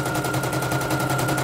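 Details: Serviced embroidery machine, previously jamming; test-stitching lettering: rapid evenly spaced needle ticks about nine a second, steady motor hum, no jams or skips; stitching normally. Renewed jamming would indicate worn dynamo shaft.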